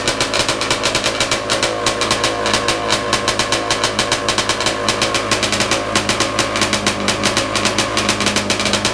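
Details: Big-bore stroker 277 two-stroke snowmobile engine, very first rope-pull start after rebuild with new sleeve, primed beforehand: rapid, crisp popping holding an even, steady beat at fast idle; fires cleanly with no misses.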